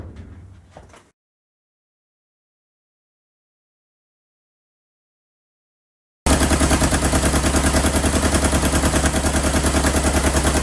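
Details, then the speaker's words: 1977 Kawasaki KZ650 B1 four-cylinder running without its airbox, carbs not yet synced. After a brief stall it picks up with an uneven, lumpy beat of about three per second; the owner suspects a cylinder isn't firing, with one pipe warm. "hopefully get these carbs synced but it sounds like a cylinder isn't firing yes this this pipe is warm"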